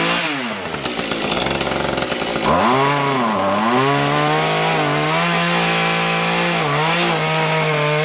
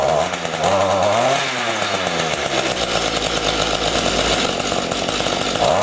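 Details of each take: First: Small two-stroke rototiller tilling soil after carburetor cleaning and low/high mixture adjustment, following winter storage with fuel in it: strong even buzz dipping and recovering as tines bite soil, then steady, running healthy. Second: Small two-stroke rototiller engine stored over winter with fuel, after carburetor cleaning and adjustment: revs rise and sag unevenly, won't take throttle; lean low-speed mixture, low adjustment screw needs opening slightly.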